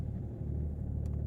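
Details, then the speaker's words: 2008 BMW 330d diesel, cold start: lumpy, uneven low idle felt through the seat, with excessive smoke for the first minute; fault codes point to failed glow plugs (DDE glow plug activation fault). "A little bit lumpy. Uh I can feel it sort of sat in this seat."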